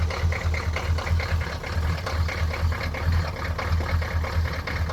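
Cold diesel idling with a lumpy low thump that keeps stumbling and never settles into an even beat; a rough idle.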